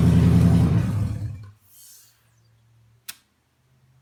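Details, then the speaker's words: Junkyard 2009 5.7 Hemi V8, about 80,000 miles, with Hotwire harness and 09 Challenger PCM, first start on a run stand after priming oil: fires straight away into deep even rumble for about 1.5 seconds, then cuts off cleanly; slight smoke from oiled cylinders. Normal start. "Bit of smoke because this thing hasn't run yet since I got it. I oiled the cylinders down when I was spinning the engine around to check things, and fires right up."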